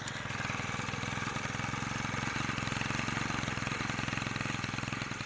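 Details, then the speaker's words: Honda GX35 four-stroke brushcutter after cylinder rebore; idle about 1,000 rpm, revved to 4,000 rpm max, no smoke, steady even buzz with no knock or rattle, heard close up; running normally. "ลองเล่นอยู่ไม่มีควันเลยนะ4,000รอบนะครับรอบสูงสุดในแล้วตัวนี้ฟังเสียงใกล้ๆนะไม่มีเสียงเขตเลยนะ"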